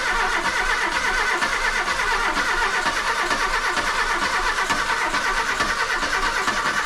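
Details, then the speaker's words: VW Golf II carburettor petrol engine after full carburettor rebuild: catches and runs with a fairly steady mid-pitched drone and light revving; slight white smoke, leaking manifold; owner believes fuel caused the earlier no-start; normal running. "fume un peu blanc mais ça va tour super bien je trouve le bol 200 chevaux"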